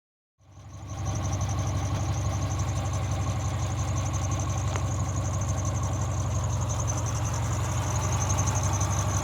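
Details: 2003 Subaru Forester idling while parked: fast, high-pitched, evenly spaced chirp/squeak over a steady idle; belts were tightened without curing it, source not pinned down.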